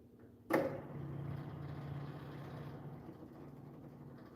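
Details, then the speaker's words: Project loboy with a 400 engine: the electric fuel pump clicks on, then a faint steady low hum as it primes, even with no whine or stutter, while the battery charges and the fuel line is still getting air. "Fuel pump's running. Air, and it's getting air here yet."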